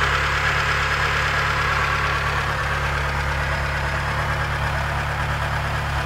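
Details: Mitsubishi 4G13 engine at idle: steady idle with a regular light knock about three times a second; valve clearance problem suspected, not confirmed.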